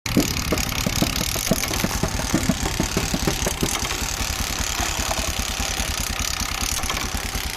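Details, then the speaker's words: Bajaj CT 100 BS6 single at steady idle with a rapid rattling tick on every beat from the kick starter; this noise should only occur when the kicker is down during starting, not in normal running. "ఇది కానీ మామూలు రన్నింగ్లో కానీ ఇలా sound అయితే create అవుతుంది."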